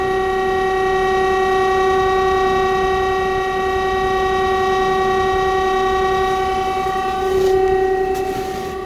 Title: heat pump weird noise